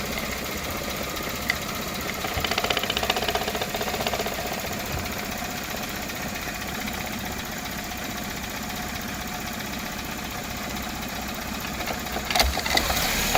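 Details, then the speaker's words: Toyota Camry 4-cylinder, cold morning, no DTCs: low, lazy idle under 1000 rpm with a soft uneven beat, no flare-up; idle air control valve proven sticking, to be cleaned or replaced. "well we prove it now so the iac bulb is uh getting sticky"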